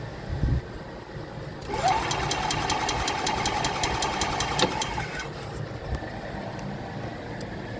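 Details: 2021 E-Z-GO Express L4 EFI gas cart with new ECU, throttle body and coil; fast even starter cranking about three seconds, never fires; no spark, no fuel, voltage missing downstream though fuses good; crank no start.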